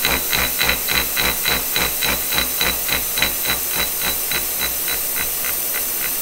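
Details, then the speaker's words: Kearney & Trecker horizontal mill with shop-made 4140 arbor: sharp, steady tick about three and a half times a second over a hiss in time with rotation; arbor runout from loose front bushing, fixed by tightening the nut. "all right well that's interesting as you can kind of hear there I've got some run out and I noticed in this front bushing whenever I start this up you can kind of see that moving around so maybe I don't have that front bushing tight enough"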